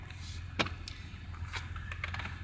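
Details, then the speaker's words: GM 3800 Series II junkyard engine, crank-no-start/no-spark fixed by cleaning ground connections, warm; starts without long crank, quiet even idle with a few handling clicks, no misses or knocks; normal idle. "it's all said and done and it starts up without a long crank you know it's starts right up the way it should start up"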